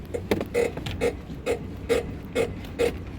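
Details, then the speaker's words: Van front suspension squeaks about twice a second as the body is rocked by stepping on the side step; handling unaffected; mechanic suggested possible ball joint or tracking rod, unconfirmed; likely dry front joint. "I just want to be clear the squeak isn't affecting the handling of the van at all not in any way shape shape or form it's just absolutely fine it's just the SC is just annoying"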